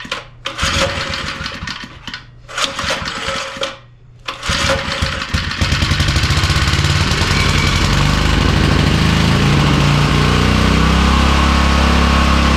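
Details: Small edger engine, after backing out the fuel mixture screw. Several pulls and sputters, then it catches and settles into a low, steady, even idle with no hunting, set via the drive control switch. Normal idle.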